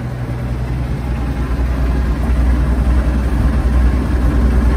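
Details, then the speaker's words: 1946 Chevy pickup six-cylinder with a mechanical fuel pump, after the soft pump-to-carb fuel line was replaced with a hard line and a new ignition switch fitted: fires up nicely into a low, steady, even idle with no misses or knocks. "She's firing up nicely now."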